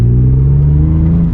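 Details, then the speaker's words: 1997 BMW M3 that had no-start and bad running after a crankshaft position sensor replacement, now out of limp mode: on the road the six's exhaust note climbs smoothly under throttle with no stumble; it accelerates the way it's supposed to. "Ooh, it sounds, man, it's the way it's supposed to be. Accelerates like a like a BMW."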